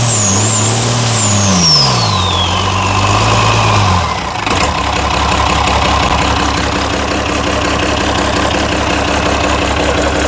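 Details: International DT360 diesel after hand-priming the fuel: clatters to life after a couple of uneven surges, then settles into a steady, even idle with a firm regular beat; a healthy runner.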